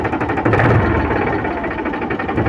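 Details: Powertrac 42 Plus tractor (44 hp range) diesel idling while the hydraulic lift rises and lowers: steady even chug with no labouring or dips; engine running healthy.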